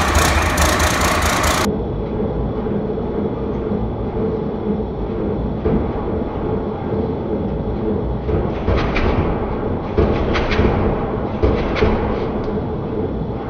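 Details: 1993 Ford Louisville L8000 diesel truck, first run after sitting about 11–13 years: even low rumble at steady idle with a few brief higher bursts; engine runs smoothly, normal idle.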